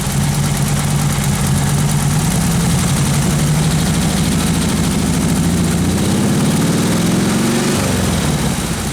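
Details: Freshly built 1776 air-cooled single-port engine on camshaft break-in with electric fuel pump and regulator: low drone climbs steadily as throttle opens, no stumble or bog; smooth throttle response.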